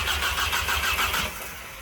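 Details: VW Jetta turbo first start after weeks of build work, cranked first to prime oil to dry turbo; quick crank, catches cleanly into even idle within a second, no misfire or knock.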